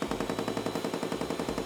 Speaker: when switching the unit to A+ or OnePlus the unit will do a filter selfclean check by physically knocking debris out of the filters you can hear the knocking noise this noise is normal and expected with your unit